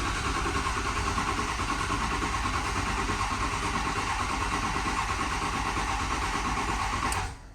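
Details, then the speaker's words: 2006 Ford 6.0 Powerstroke diesel, crank no start after two other shops, weak batteries: steady cranking about three turns a second for seven seconds, never catches; not producing high-pressure oil, low injection control pressure. "all right so we're obviously not producing a high pressure oil"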